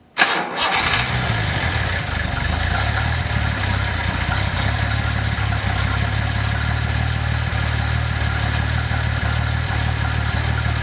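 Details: 1988/1989 Nissan 300ZX turbo (Z31), California automatic, with the ECU reconnected and under test: a brief crank, a quick catch and a steady smooth idle; starts and runs normally.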